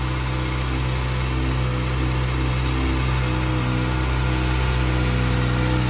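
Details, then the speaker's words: Bone-stock 2023 Kawasaki ZX-6R 636 with stock catalytic converter, warming up in a heat cycle and idling fairly high around two thousand rpm; smooth, unbroken exhaust note with no knocks or misses, healthy. "this is what a bone stock 636 sounds like you guys hope you guys enjoy the sound of this"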